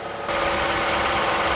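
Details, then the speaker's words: 2009-2012 Ford Escape after condenser replacement and recharge, A/C on max and high at idle, about 30 psi low and 230 high side: compressor sounds strained but works, steady fan rush; normal A/C running at idle. "the cheesy cord compressor sounds like a bad case of constipation but it appears to be working"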